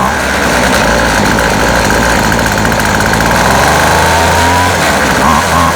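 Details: Featherlite Extreme FX 265 trimmer, 25cc, bought used, just after carburetor reassembly: lumpy hunting run at about three or four pulses a second; rough running, owner suspects adjustment or metering diaphragm.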